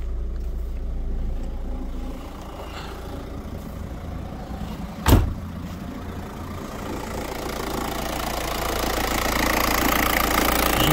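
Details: 2002 Opel Corsa 1.7 CDTI diesel, code P0251: uneven idle sagging and swelling, stalling and hard hot starts at 90°C; cause is the faulty injection pump control unit.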